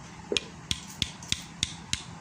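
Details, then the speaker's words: Honda Beat FI engine disassembled again for smoking and rough sound: six sharp metallic tek clacks, about three a second, as the hanging connecting rod is tapped by hand, showing big-end play; would be loud under load, con-rod to be replaced. "Ada suara tek tek tek tek tek tek tek. Nah, itu jika putaran mesin kena beban ini pasti kencang suaranya saat gas ditarik."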